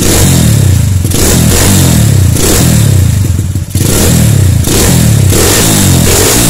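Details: Honda Tiger/CB single with AC ignition, after rewiring stator-CDI-coil ignition harness: starts readily, repeated crisp revs about once a second through a loud exhaust, firing cleanly.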